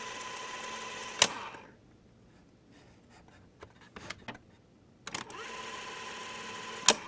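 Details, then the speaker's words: Panasonic RQ-309S cassette recorder after cleaning corroded battery contacts: small motor whirs and mechanism clunks as keys are pressed, but no playback sound and not even the usual thump or pop at power-on; fast-forward does not stay locked down. "it's playing playing but there's no one home not even hearing a little pop sound usually you can hear a little thump or a pop sound when you apply power but I'm not hearing anything"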